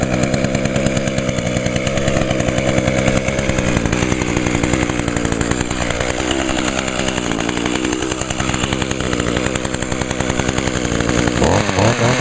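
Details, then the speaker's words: Echo two-stroke, carburetor replaced last year: a high buzzy two-stroke holds a fairly steady speed with small wavers and no misfires. Lots of smoke from deposits in the cylinder, expected to burn out; running normally. "start up pretty good and of course there's deep creep in the cylinder that's why it's smoking just to burn it all out it'll eventually clear up"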